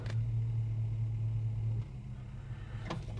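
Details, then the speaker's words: Holden HK automatic, oil pressure about 45 psi, temperature rising after a cold start: idle hum drops as reverse is selected, soft clunk about a second later; normal brief reverse engagement delay. "that's normal that delay there is pretty much normal to pick up"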